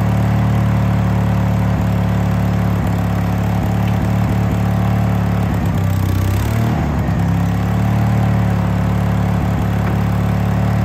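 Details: Case 1816C skid steer sat 10+ years, first run: steady low diesel idle with a brief labouring dip as drive is engaged; didn't move, sounded starved, owner suspects the hydraulic oil drained out.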